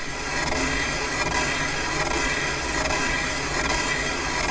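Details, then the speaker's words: Caterpillar D2 #5J1113 starting engine, boring a damaged main bearing bore on the lathe with a hand-ground bit on auto feed; steady hissing cut with a soft rhythmic skip about once a second as the bar crosses holes at the top. "oh there we are it's cutting i can hear it okay we're hitting that interrupt at the top"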